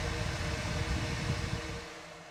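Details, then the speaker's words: Radon fan system baseline, mic next to the exhaust discharge before fitting a noise suppressor: steady rushing whoosh with low hum and faint mid tone, then tails off; loud fan exhaust noise. "So just to get our baseline, what the system sounds like, I'll put my mic next to the exhaust discharge, and then we'll add this noise suppressor and see what kind of difference it makes."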